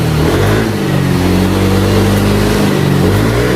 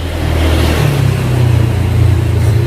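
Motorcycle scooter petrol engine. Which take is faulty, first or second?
second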